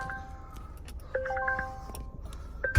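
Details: Wrecked 2020 Volvo just restarted after crash, no coolant in it, parked with bonnet open: repeated two-tone dinging chimes over quiet cabin; warning chime, owner suspects bonnet-open alert; coolant and pedestrian protection warnings shown.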